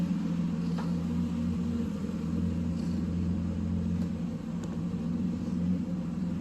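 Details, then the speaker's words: Mercedes first started after 13 years in storage, running briefly with the belt removed: a steady low rumble at a raised idle with no misses or knocks, which later drops to 650 rpm. "This car is running on its own fuel. Unbelievable. I mean, it's idling high, but like what do you expect?"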